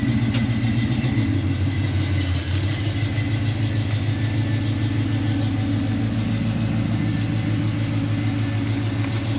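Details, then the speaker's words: 1972 Camaro V8 after Aces EFI install: starts nicely, deep steady idle with even low rumble and no misses, knocks or hunting; normal idle. "She starts up nicely. I think I like these Aces EFI system."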